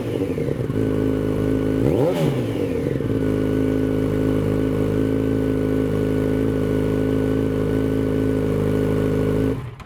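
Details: 2006 Yamaha FZ1-N, first start after fitting a Two Brothers Veil 2 slip-on exhaust: the engine catches, gives one sharp rev, then settles into a steady, even idle with a deeper exhaust note. Normal start and idle.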